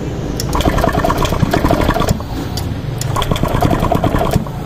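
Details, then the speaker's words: Euro Griffin 180i scooter with hard starting and erratic idle, intake hose loose: starter churning with sharp irregular pops and cracks, engine dies; backfire from an air leak at the loose intake hose. "namatay o namatay siya 'di ba yan ang mangyayari kasi niyan possibility mamamatay talaga ang nangyayari diyan ganyan yan lumuluwag po 'yan kasi tanggalin natin ulit ganyan parang may pumutok 'di ba"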